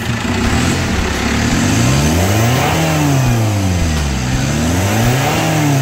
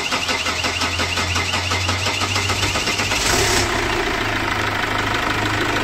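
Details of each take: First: 2008 Chevrolet Captiva diesel, previously smoky, weak, capped at 3000 rpm and hard starting; after total cleaning of the fuel and turbo paths, revs smoothly to about 4000 rpm without smoke, misses or hesitation; problems resolved. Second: 2008 Chevrolet Captiva NFL diesel, hard to start cold or hot, with petrol sprayed into the intake as a starting aid: fast even cranking for about three seconds before catching roughly; fuel line and turbo path suspected, no warning lights shown.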